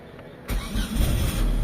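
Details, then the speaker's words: Mitsubishi Lancer Galant 4G92 automatic that had misfiring, weak pull and a high, unstable idle, computer box suspected: catches instantly and settles into a normal low, steady idle, though idle drops when the steering is turned. "Ayan. So yan na andar niya. Ayan normal idle na mga boss. Kanina mataas tapos ah hindi stable yung menor."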